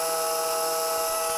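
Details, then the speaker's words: Lite-Hawk XL RC helicopter at raised throttle; thin steady high whine with a rough edge as one rotor motor is not working properly and lags the other. Owner plans to clean it first, then replace it. "And you hear that sound? So this one is not working properly."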